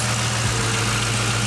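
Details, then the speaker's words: 2005 Ford Mustang GT after new alternator, serpentine belt and tensioner installed (P0340 cam sensor code actually traced to alternator); steady, even low idle with smooth rumble, no knocks, ticks or belt squeal; normal idle. "The new alternator's installed, the serpentine belt and the tensioner, and as you can hear, everything's running good now. Have no issues."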